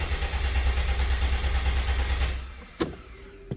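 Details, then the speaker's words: Mercedes E320 convertible W124, M104 six-cylinder, non-runner, after a part swap and battery reinstalled: starter cranks steadily about two seconds, then a couple of weak pops; tries to catch but won't run. Crank no start, spark to be checked next. "i don't know if you guys heard it it wants to start it gave it a little try but it's not quite there yet"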